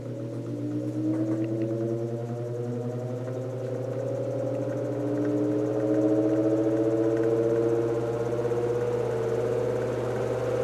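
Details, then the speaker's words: 1949 GE Vortalex 12" desk fan after repairs, run from low up to speed three: steady low mains hum rising with speed, coil buzz, vibration and blade wobble removed; normal running. "I'm very glad to have gotten the um the vibration out of the It does vibrate a little bit, but not like it was. And I'm glad that I was able to get rid of the coil buzz"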